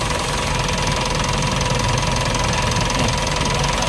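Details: Mitsubishi Montero Sport 4D56 diesel idling steadily with even clatter, no knock or misfire, after correcting wrong gear timing that caused low power.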